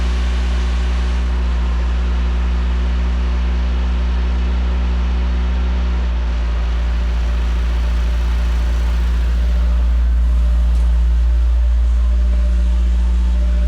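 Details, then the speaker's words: Peugeot 205 1.9 GTI off the road 15 years, cold start: steady engine hum idling high, easing down slightly as it warms but still a little high; owner suspects a faulty airflow meter. "this thing it always idles really high to start off with then when it gets a little bit warmer just give it a bit of a there you go settling down a bit now still a little bit High"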